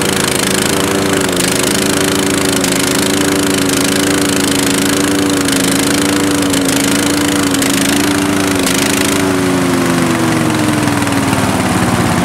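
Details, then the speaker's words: Murray lawn tractor with 16.5 HP Briggs & Stratton 31C707 single, carburetor previously clogged: loud drone that sags under load with sharp exhaust pops every second or two; afterfire suspected from a carb problem. "now it's really loud and it's like i'll say backfiring when it's under a load"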